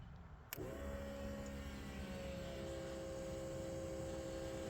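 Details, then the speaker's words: 1988 Ford Bronco II fuel pumps, about 35 years old, fed 12 V directly from the battery, bypassing the relay during a no-fuel-pressure diagnosis: click, then a steady even electric whine, pressure rises and holds; pumps normal, fault is electrical (relay or ECU ground suspected). "okay so I can actually hear the fuel pumps running and I saw my volt my pressure go up and pressure is staying steady it's pretty good for some 35y old pumps"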